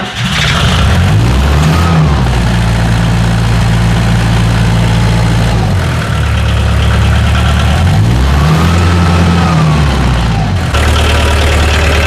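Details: Bobcat 743 diesel skid steer, about 30 years old, started on a fresh battery after fuel system repairs and injector bleeding: fires up, then runs a steady low rumble with two clean rev-ups that return evenly; normal healthy running.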